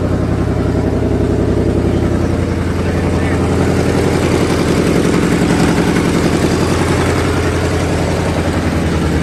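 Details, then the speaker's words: 2008 Ford Mustang GT (S197) V8 donor engine with 75,000 miles, just installed as a replacement for the noisy original; first start with fresh oil and new battery; deep, even burble at steady idle, no misses, knocks or ticks, sounds marvelous. "so we got our donor car with a no 7gc this motor has 75,000 miles on it see sounds perfect"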